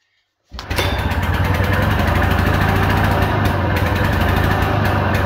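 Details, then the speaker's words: 1940s Simar two-wheel tractor, old single-cylinder engine started on a primed carb. It catches and chugs fast and unevenly at about 220 beats a minute, then stalls because the idle speed is set too low. "It stopped. Too low idle."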